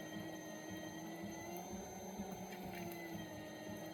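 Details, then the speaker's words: Cheap TEMU pottery wheel with electronic (not analog) belt speed control, new and still burning off shipping oil: steady motor drone with a rhythmic thump-thump and a thin high-pitched squeal; a removed part was ruled out, source not found. "It's kind of a thump, thump, thump, thump. I mean, at first I thought it was this, so I took it off. It's not. You hear that high-pitched squeal?"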